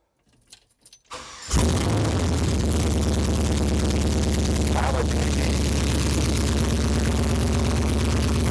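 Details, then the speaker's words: First start of a 5.3 V8 from an SSR swapped into a 1972 Chevy C10, mass airflow sensor not yet connected: starter catches and it settles into a lumpy, uneven, stumbling idle; running rough, likely a misfire. "It's running rough though."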